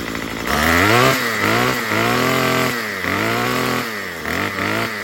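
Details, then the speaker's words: Murray M2500 trimmer with a new carburetor kit, after turning the high-speed mixture screw counterclockwise; crisp revs rise and fall about five times, picking up cleanly without stumbling. It no longer bogs much. "You just get this tool, go on the high, and turn it. I saw it on a video, so it doesn't bog that much anymore."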